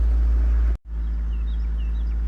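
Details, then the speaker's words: 2001 Saturn SC2 at operating temperature, in neutral, brakes on, foot off gas, after Seafoam but before throttle body cleaning: steady fast drone; high idle from carbon-fouled throttle body and IAC valve. "but it still got a really high idle for idling and see it's a neutral brakes on and my foots off the gas and still got a high at all"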